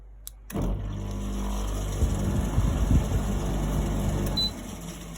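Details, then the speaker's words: GE AHEK08ACW1 air conditioner, about three weeks old, with the control board exposed: a click, then low motor hum for a few seconds that cuts out abruptly; unit starts then kicks off, beeping, cause unknown. "and it still kicks off so we're gonna unplug it"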